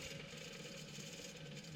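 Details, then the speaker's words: 2002 Chevy Silverado 2500 HD 4WD 6.0 L Vortec V8, removed original alternator spun by hand: steady, gritty, uneven rattling rush from the worn-out bearing, the growl heard under the hood; replaced with new alternator. "Yeah, that was definitely making some noise."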